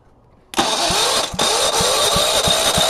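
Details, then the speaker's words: Go-kart lawnmower engine, first start in about five months after an oil change, always hard to start: it catches suddenly and runs rough with uneven pops every third of a second, won't stay running. "she just doesn't want to stay going if you remember with this motor it's always hard to get started but once it's running once it's good"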